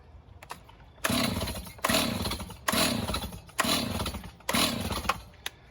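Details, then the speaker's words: Stihl MS290 chainsaw with new fuel line fitted: five rough recoil pulls about a second apart, engine spinning briefly with no firing because the stop switch was left off; should idle around 2,800 rpm. "Oh, it helps if you have it in the on position. Helps when it's in the on position."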